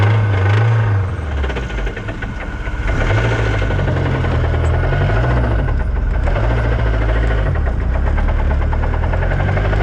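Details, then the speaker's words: Lotus Exige after a track day: rough, loud idle with a deep, uneven rod knock from spun rod bearings. "i blew it up that's the motor knocking you don't hear that"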